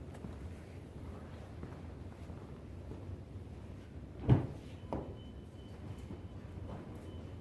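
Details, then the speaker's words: Chrysler Pacifica with a customer complaint of front-end clunking: two dull, low thuds about half a second apart over a quiet background; something in the front end is broken, cause unknown. "All right, we had this vehicle come in with a clunking noise."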